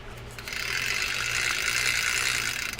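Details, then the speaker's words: Penn 9500SS saltwater spinning reel after service, clicker noisemaker fitted: quick, even, crisp clicking as the spool turns, no grinding or roughness; clicker and reel working smoothly. "That's working fine. Nice and smooth reel."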